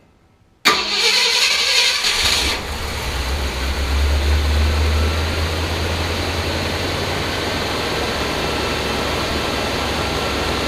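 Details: 1966 Ford Galaxie 500 with new Pertronix electronic ignition replacing arcing points: true cold start, catches on the first try and revs on the fastest idle cam, then kicks down a step with an accelerator tap and settles to an even rumble.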